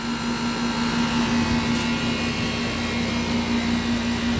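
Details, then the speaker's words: Newly DIY-installed R-410A HVAC system, one of three outdoor condenser units running: steady droning hum with fixed low tone and fan rush, about two to three times louder than the others. Excessively loud condenser unit, cause not clear. "और उस तीसरे के चलने तक प्रतीक्षा कर सकते हैं, यह शायद दो से तीन गुना जोर से"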